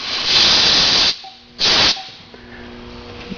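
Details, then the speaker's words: Homemade air dryer tank on a home air compressor: two sharp hissing blasts as condensate water drains out. This is normal draining. "I mean all it's doing is draining the condenser out of air that's all that extra hissing is in terms of the water drain"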